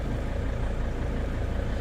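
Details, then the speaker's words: Van-life vehicle engine idling after start: low, smooth rumble with no grinding, scraping or misses, settling and running evenly; no check engine light, no grind during start. Normal idle. "Wow. I don't want to jinx myself, but no check engine light, no grind during start."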